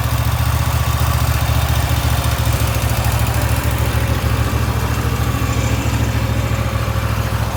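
Steady, even low thrum with no misses or knocks, holding a constant speed; this mower engine is idling healthy and smooth.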